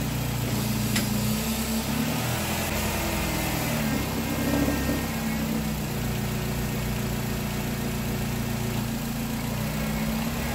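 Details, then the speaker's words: 2010 Nissan Cube with a replacement CVT, first start at idle: a faint constant high whine over the engine; dipstick shows nothing so more fluid is to be added; owner wonders if it will quiet once warm and circulated. "I don't like that whining noise it's making maybe that's normal maybe once the warm up the circulate it'll sound a lot better"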